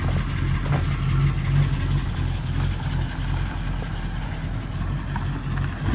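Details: 1934 Ford Coupe after a suspected timing or fuel issue, started up: deep, even low rumble holding steady without stumbling or misses; the old engine idles cleanly.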